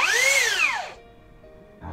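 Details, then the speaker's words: Low-budget brushless drill after reassembly with stator shimmed higher: high whine climbs then coasts down with a coarse edge, noise louder and back to how it was before disassembly; rotor still rubbing the stator, repair not yet successful. "ini masih seperti ini tapi lebih keras lagi malah bunyinya kembali seperti yang pertama tadi sebelum dibongkar"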